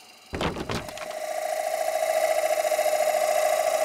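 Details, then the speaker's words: Lathe turning green Honey Locust salad bowl at 850 rpm with carbide cutter, light cut: after tool contact the cut settles into a ringing, fluttering mid tone, showing the bowl wall getting thin. "You hear that sound? That's the sound of things that are starting to get thin. And I like that."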